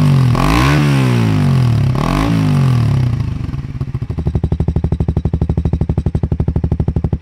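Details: Suzuki GSX 150R with NOB1 aftermarket exhaust and custom header, no ECU change: two clean rev blips, then a steady, even throbbing idle at about three pulses a second, no stutter or misfire; normal.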